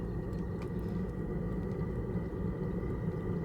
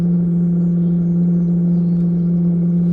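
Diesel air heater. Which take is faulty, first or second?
first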